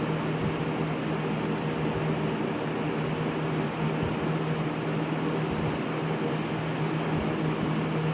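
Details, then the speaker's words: 20-inch Lakewood S223 second-generation box fan on high speed: loud even rush of air with a steady low hum, no rattling; the grill rattle heard on low is absent or masked on high. "And either it doesn't rattle on high or you just can't hear it on high. One of the two."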